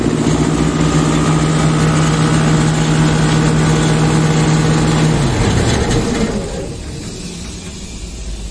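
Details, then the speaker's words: Sullair 260 diesel compressor under load, poorly maintained: drone holds steady about five seconds then sags and fades instead of holding speed, not reaching pressure; misadjusted speed regulator; engine bogging. "un problema con el control tenemos un problema con la velocidad no estamos alcanzando la presión"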